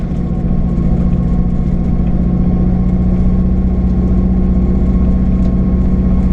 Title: GTT First Drive Misfire ?